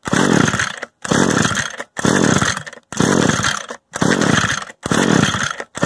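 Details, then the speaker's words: Echo gas trimmer with the choke on and the bulb primed: repeated recoil pulls about once a second, each a short whirring rasp with no firing. The stop switch was left on; no start. "You know, I had it on stop this whole time."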